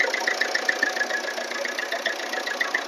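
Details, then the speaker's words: 2010 diesel Swift Dzire at block temperature, right after refilling its near-empty oil: a steady idle with an even light injector tick and no knock or rattle. The sound turned smooth once oil was added. "ಅದಕ್ಕೆ ನೋಡಿ smooth ಐತೆ ನೋಡಿ sound. Oil ಹಾಕಿದ ತಕ್ಷಣ sound ಎಲ್ಲ smooth"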